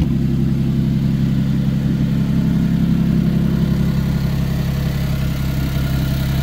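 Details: Car with a no-start caused by a clogged, broken-up catalytic converter that blocked the exhaust, with catalyst pieces removed: loud, low open-pipe rumble at a steady idle of about three to four pulses per second, no stumbling. Normal idle.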